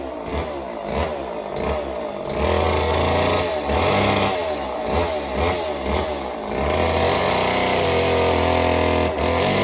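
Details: Homelite Super Mini chainsaw, customer saw that wouldn't run, rev or idle, after idle speed screw turned about a turn and a half: small two-stroke screams high and steady, bogs slightly into the log cut, pulls back cleanly; runs strong.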